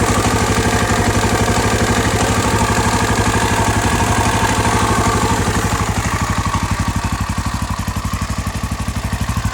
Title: KTM exc 525 first start after engine repair